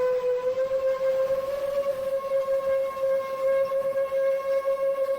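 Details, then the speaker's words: 7-inch FPV quadcopter, onboard DVR audio from a flight that ended in a crash: steady high whistle near 550 Hz riding over the motors, appearing at certain RPM ranges. Not thought to be a loose prop; cause unclear. "I don't think it's loose I mean I don't fly a ton of seven inch so I don't think that's normal"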